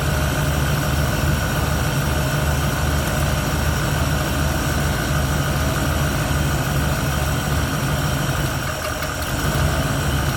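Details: 1971 Ford Torino, rebuilt 302 V8 with C4, warm, after idle mixture screws adjusted evenly on carburetor (was a little lean): smooth, even idle with steady low rumble, no misses or stumbles; healthy.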